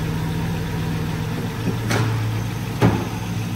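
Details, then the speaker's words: Street sweeper (V8) idling after the owner's broken starter, its plastic housing cracked by hammer blows, was refitted; deep, even V8 rumble with no ticking or manifold puffing, sounds good. "Sweet. Yeah, sounds good."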